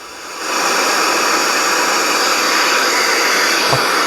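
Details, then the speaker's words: The same 10 V zener diode in a test fixture without its tantalum decoupling capacitor: a loud, steady, treble-heavy rushing hiss that is very loud even at half volume. This is zener avalanche noise. "You can't even get the volume up, halfway without it just being incredibly loud,"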